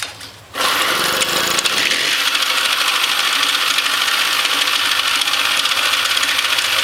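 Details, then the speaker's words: New ZA50 (Maxi) two-stroke moped idling: rapid harsh clacking rattle, louder on low idle right before it dies, intermittently going away; cause unknown. "There's that terrible clacking noise. You can really hear it get loud on low idle right before it dies."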